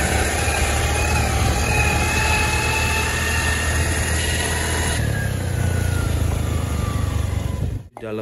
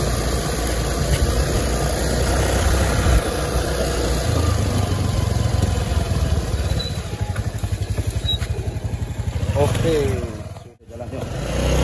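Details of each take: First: Honda Beat automatic scooter while riding: thin whine rising with road speed and falling as it slows, over the engine noise; final reduction (ratio) gears in the gearbox found worn down, to be replaced as a set. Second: Honda Beat automatic scooter after replacing worn final-drive (gardan) ratio gears, riding test: steady engine, no whine or howl from the rear gears; normal running after repair.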